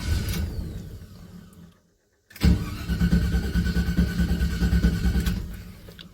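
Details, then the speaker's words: 1978 Chevy C10 V8, sitting a while, started without mashing the gas: catches at once into a lumpy but steady idle with no stumbling; normal cold start. "Okay, he said if it don't start right away, it's been sitting for a while. Give it 2 pumps. Pretty good."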